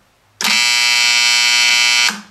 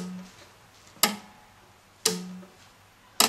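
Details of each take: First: EF Johnson 500 ham transmitter, restored about 15 years earlier, powered via variac: loud harsh buzz from power-supply relay RY301 whose contacts chatter instead of pulling in, since with age it lost inductance; fixed by replacing the relay. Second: EF Johnson 500 ham transmitter after replacing a defective power relay (RY301) that had lost inductance and chattered. New relay exercised on the variac without 230 V connected: three crisp single clicks about a second apart, clean, with no buzz or chatter.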